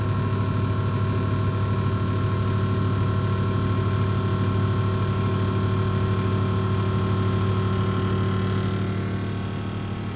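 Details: Bosch Series 4 combi microwave CMA583MS0B, second unit with the same fault, while heating or cooling down: loud buzzing resonant drone that intermittently gets very loud, audible upstairs, then drops to a quieter hum; intermittent internal resonance rattle.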